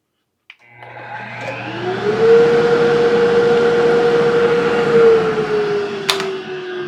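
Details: Grizzly shop dust collector, first test on a new external plug-in remote replacing the failed factory remote system: motor spins up to a steady even hum with no rubbing or knocking; runs healthy.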